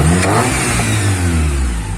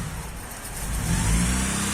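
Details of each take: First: Honda Prelude with a larger, non-factory cam, warmed up. Revs rise and fall cleanly with no miss or knock. The owner notes an erratic idle, suspected to be the PGM-FI manifold or idle control valve. Normal free revving. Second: Honda Prelude with a bigger-than-stock cam, cold start after sitting, new battery: deep uneven drone that swells and sags heavily; owner suspects the cam and that it needs tuning. Idle surging on cold start.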